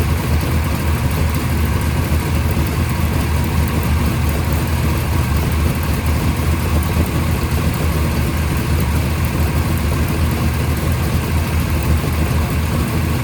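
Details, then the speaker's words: First startup of a freshly rebuilt 580 Mopar stroker on a run stand with headers and mufflers, timing at 33°, about 1,400 rpm fast idle, 65 psi oil pressure; deep, steady V8 lope, smooth and even with no ticks, knocks or misses, healthy. "It seems pretty happy. We were about 1,400 RPM. Those mufflers definitely chill this thing out."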